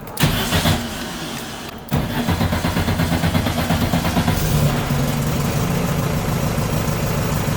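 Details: Air-cooled VW Baja Bug with nearly stock engine, started after oil change and valve adjustment: brief crank, then catches and settles into a steady, even idle with no ticking or misses; healthy running.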